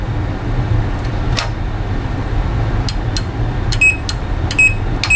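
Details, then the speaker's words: Relay removed from a Rotel RB-1092 Class D amplifier (powered, not in protection, no output) checked on audible continuity: tester silent, then short irregular beeps only when tapped; intermittent contacts, relay bad, to be replaced. "it works when you tap it just like when I tapped in the amplifier came on for a little bit but this relay is not good"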